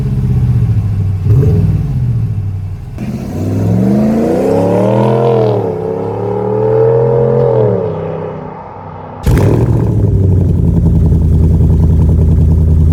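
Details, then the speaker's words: RAM 1500 DS/DT petrol V8 HEMI after replacing cracked exhaust manifolds (LH & RH) to cure ticking: engine blips up and settles to deep steady idle, no tick between revs; normal revving, manifold leak fixed. "Listen to that. Love the sound of a V8 in the morning."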